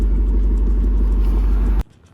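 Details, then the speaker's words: 2002 Ford F250 5.4L Triton V8 after cleaning the idle air control valve, not fully warmed up: deep, even, steady idle with no stumble or hunting, no codes; normal idle. "Uh I checked my code reader. We're not getting any codes. Um yeah, it looks like it's idling like a dream."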